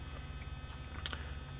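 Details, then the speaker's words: Homemade JK flip-flop driver with two Darlington transistors driving a toroidal transformer for a high-voltage DC HHO generator, outputting roughly 170 V AC unloaded: steady low buzz with no dropouts or crackle, running normally. "Uh, you can probably hear the buzzing. It's running right"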